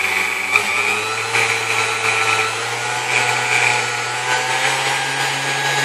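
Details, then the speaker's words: Vintage Kenmore stand mixer, apparently Westinghouse-made, after service: steady, even motor hum with a smooth whir; the earlier screeching from bone-dry bushings is gone after oiling the wicks, and there is no burning odour. "all right sounds like a pretty powerful piece now it doesn't make screeching noises anymore that was due to lack of lubrication"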